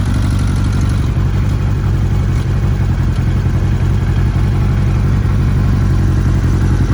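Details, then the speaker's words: 2002 Kawasaki ZR-7S motorcycle, daily used, cold with choke: steady low tick-over with light busy clatter, more prominent on overrun; probably cam chain tensioner related, unconfirmed. "here hear it more prominent on the over run there from cold you need to give it choke and uh it will run tick over sounds quite low"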